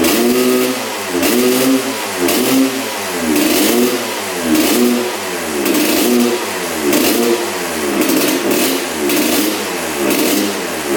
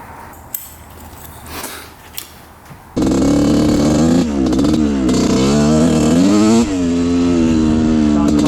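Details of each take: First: 1986/87 Honda CR125 two-stroke, new spark plug, 40:1 premix: revs rise and sag about once a second, stumbling at full throttle; bog, owner wonders if the pipe is clogged. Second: 1986/87 Honda CR125 two-stroke after raising the needle clip one notch; fires up and revs crisply, rising and falling without bogging or breaking up. Clean revving, bog fixed; the oversized pilot jet was the cause.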